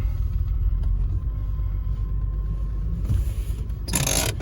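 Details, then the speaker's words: 2002 Nissan Xterra 5-speed just started after cleaning the mass airflow sensor and throttle body, possibly still wet with cleaner spray: low uneven unsettled idle, shaking a little; rough idle, cause not confirmed. "See, it's shaking a little bit. Don't worry. If it runs rough, just let it."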